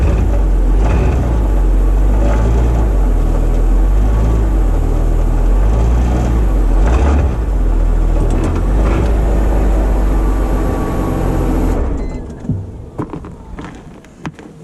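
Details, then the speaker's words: Mercedes E320 W210 with M112 engine, mic underneath, idling out of gear: a loose marble-like rattle over a deep exhaust drone. Downstream catalytic converters breaking apart inside; the restriction could burn up the upstream cats. "sound too good that's the downstream cats the insides of them are breaking apart and it that causes an exhaust restriction that could cause the upstream cats to burn up himself"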